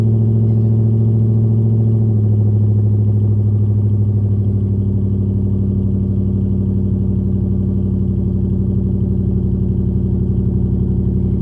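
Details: SN95 engine idling after battery reinstall, running a Seafoam fuel treatment: steady idle with a slightly uneven loping beat of about 4 pulses per second and no clear misfire pattern. Still a bit rough but improved; owner hopes injectors are cleaning, cause unconfirmed.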